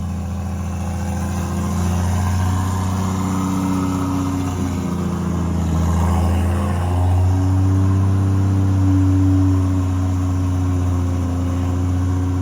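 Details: Toyota 2JZ-GTE in a Commodore project car, warm after first start; one cylinder had no spark output, found and fixed. Even low drone rising smoothly with light revs, no misses or knocks, runs healthy.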